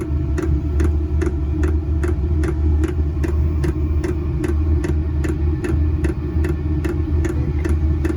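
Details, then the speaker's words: Newly installed diesel air heater in an MCI bus RV conversion, first start-up: sharp regular ticks about two to three per second over a low hum as the fuel pump primes; bubbles still in the fuel line. Fuel pump ticking. "Well, you can definitely hear that. You can hear that pump just clicking away."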